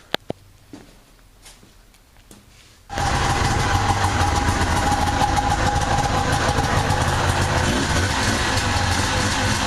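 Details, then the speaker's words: Two-stroke engine: a few clicks, then it fires and settles into an even, buzzy idle that holds steady; normal running. "Well, I finally got this thing to run. Unbelievable."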